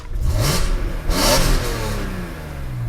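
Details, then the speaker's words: BMW E46 M3 straight-six, fully warmed with oil and coolant at temperature, free revving: crisp metallic rev rising and falling smoothly, no knocks or rattles; engine healthy, VANOS revised. "This is quite a metallic sound. It's quite characteristic. Nothing else sounds like this out of the factory."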